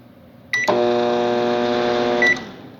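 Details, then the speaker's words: Microwave that makes noise and won't heat, running with the magnetron plug disconnected: a beep, then a loud harsh buzzing hum, pointing to a short in the high-voltage diode or capacitor; both to be replaced. "oyeron el ruido entonces el problema está aquí entonces vamos a proceder a cambiar primero este dios y el capacitor"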